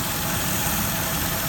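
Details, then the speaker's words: Mercedes W163 ML500 with lean code on banks 1 and 2: loud, steady hiss over a smooth idle, heard through a hose at the rear of the engine, indicating a huge vacuum leak. "I can hear the leak to the hose really loud. In fact, this leak is so strong I was getting some vacuum to the hose."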